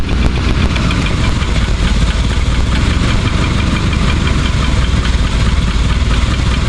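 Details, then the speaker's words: Rolls-Royce, fully heat-soaked, new coil wire and 8mm plug wires: rough, busy low idle with engine clatter, creeping down about 20 rpm at a time until near stalling; choke, throttle or blocking the air filter doesn't help; cause unclear. "It starts, you can hear it slowly bringing itself, the idle slowly down by itself. It's like creeping 20 RPMs at a time, and then the choke isn't moving, and when it gets like that, it's almost nothing you can do."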